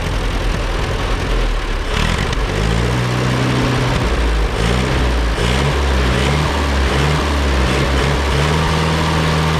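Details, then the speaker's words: Allis Chalmers WD narrow-front row-crop tractor, rescued from the bush after being seized that morning, first run: low, lumpy putter with uneven idle beat; runs but has bugs to work out, tune-up planned. "Another $600 tractor, away we go. Obviously we got to work out some bugs, but it runs."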